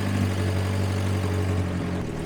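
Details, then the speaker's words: Grandpa's long-sitting 1954 Willys military Jeep, first start after revival with coolant, oil and fuel: low, steady four-cylinder idle with an even beat, no misses or knocks; idling smoothly, though it died shortly after. "It's even gonna idle."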